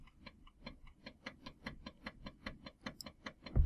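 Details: Floppy drive driven by a microcontroller through its step and direction lines, in a quiet room: crisp, evenly spaced clicks at about four per second. The head stepper motor is stepping normally.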